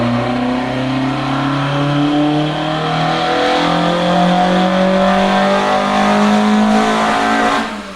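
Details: Toyota AE86 with Blacktop 4AG 20V engine on a dyno, new Haltech Elite 550 ECU, full-throttle run: strong, smooth rising howl climbing steadily through the revs without stumbling; healthy engine pulling hard to the top.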